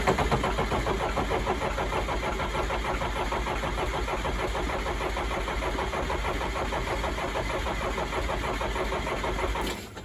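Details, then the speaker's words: Case 310F bulldozer with a 188D diesel, possibly straight-piped: steady starter churning for nearly ten seconds without firing. The owner suspects air in the fuel lines and is checking fuel delivery to the injection pump; some white smoke appears. "But again, I don't know if we have a situation where like we still have air in the fuel lines, but we'll bring it around to the other side. We'll try and fire it up again and get it running."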